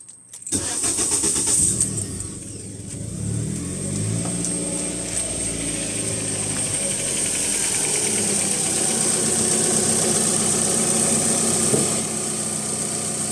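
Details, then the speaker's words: Cranking test with KONNWEI KW208 battery tester, battery at 12.18 V and about 444 CCA; brisk even crank catches within a second into smooth steady idle, tester reports cranking normal. "So dia keluar cranking normal. So kita punya engine tu nak start normal lah untuk keadaan bateri sekarang."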